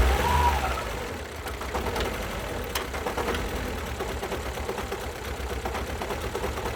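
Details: 2012 Alfa Romeo Giulietta II, 1368 cc 120 PS petrol 940B7000, 164,000 km. Lumpy, uneven idle with a stumbling beat and dips in loudness: missing on two cylinders that have no compression.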